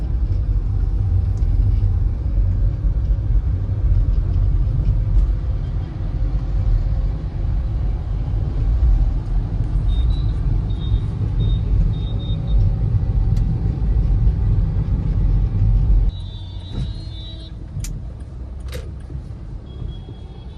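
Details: Skoda Rapid diesel on a test drive at night after replacing a worn lower arm bush: steady low road rumble with no knocks or clunks from the front suspension, checking whether the suspension noise is fixed.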